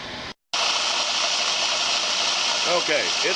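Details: Harbor Freight Central Machinery 4x36 in. belt / 6 in. disc sander after welding repair of the broken tracking-adjuster bracket: motor spins up to a steady, even hiss-and-whir, no knocking or belt slap; runs normally.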